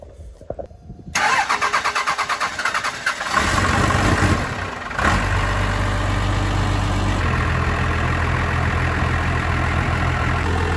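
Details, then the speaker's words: 12-valve diesel truck, first start after repair, injector line one cracked to purge air: cranks about two seconds, catches rough, then settles to a firm even idle; normal diesel engine start. "it's gonna sound a little rough at first until all the air gets purged out but then hopefully it'll smooth it right out"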